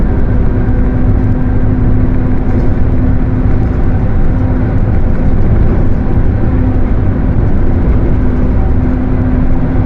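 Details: Mercedes-Benz OF 1721 bus (Torino S body) under way: steady low hum above road and engine rumble; droning growl pointing to a worn differential.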